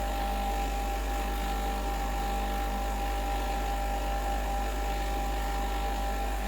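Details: Breville Dual Boiler BES920 espresso machine running a blank shot of hot water to heat up: steady, even pump hum with a light whine, no surging or rattles; pump runs normally.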